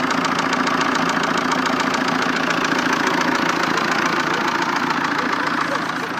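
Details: 1.9 JTD diesel at idle with a sharp, regular knock about 214 per minute over the running sound. The knock appeared recently, and diagnostics said an injector is unlikely; cause not yet found.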